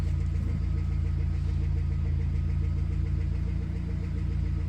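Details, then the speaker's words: Suzuki Swift Sport ZC32S idling with light regular tapping about four per second; dealer mechanic judged it not catastrophic, suspecting tappets or camshafts. "so one of the guys from the garage came out to have a look at it the tapping he said it's not catastrophic he was having a good old joke and laugh about it um but he said it's either going to be tapet or the cams"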